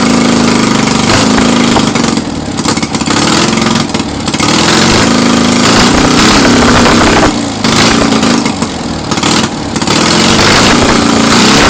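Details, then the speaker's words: Citroën 2CV running its unknown spare engine on first start after years of storage, swapped in after the original engine failed; compression read 180. Loud, uneven running with surges and dips, like clearing its throat, and very smoky. "kind of sounds like it's clearing its throat, but blimey, it's a bit smoky in here."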